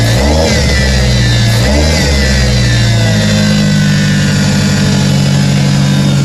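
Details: Car in neutral after a new 842 mm alternator belt and intake elbow: engine blips up a couple of times, then holds a steady, smooth drone with no belt squeal or chirp; healthy running.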